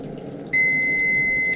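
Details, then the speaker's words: Rinnai V65iP non-condensing propane tankless water heater after sensor cleaning: one sharp high beep about a second long, error code 61 combustion fan fault because the fan connector was left unplugged. "I got an error code 61. oh okay error code 61 combustion fan oh I didn't pull the combustion fan in forgot that okay do it again"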